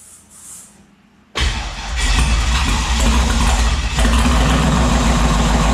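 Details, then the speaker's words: Turbo 5.3 LS-swapped Mustang, first startup with unfinished tune: catches with a loud burst, then runs lumpy and uneven with a surging rumble and won't stay running; suspected too much throttle and dumping too much fuel. "then it just didn't want to stay running that okay i'll just try not touching it it would yeah i was giving it too much yeah obviously"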